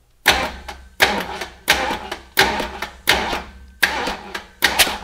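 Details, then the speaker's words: Big block Ford 460 (7.4L), number one spark plug out, finger over the hole while bump-starting: short starter bumps, each giving a sharp puff as cylinder one reaches compression near top dead center, ready for distributor install. "right there hear that poof she's ready to fire that's top almost top dead"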